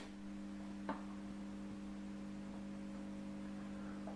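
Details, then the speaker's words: Old organ (Diane 61) with built-in amplifier and speaker: a steady low mains hum, then one sharp pop at switch-off, louder with the volume up. It is a capacitor discharge thump; the fix is a 4.7nF 250VAC capacitor. "maintenant je vais tout simplement éteindre voilà et comme on peut constater on a un poc et bien sûr si vous montez le volume"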